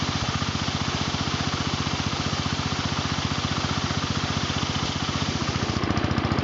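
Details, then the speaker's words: John Deere Model 20 air compressor for 110/112 round-fender garden tractors, replacement tank: fast, steady pump chugging, then a pop and shift in the hiss as the bypass valve opens at full pressure, venting air back so the tank stops filling; normal. "you hear that pop that was a bypass valve open and the bypass valve open the air back to the compressor which opens about so no more air is let into the tank"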